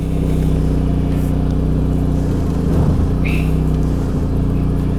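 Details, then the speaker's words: 1991 SAAB 9000 Classic Turbo CC, back on the road after five years stored; rear muffler fell off on first drive, heard from inside the car as a deep, booming drone of low rumble with almost no top end while revved. "took it for a drive and what do you know the rear muffler fell off so now it's got a full exhaust sounds like sub on steroids"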